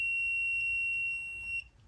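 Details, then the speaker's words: Furnace thermostat being tested with a meter across R and W after it is set to heat. A clean, steady beep lasting about a second and a half shows continuity: the switch is closed and power is being sent back to the board for heat. "that means that switch closed now we're sending power back to the board for it to turn on my heat correct"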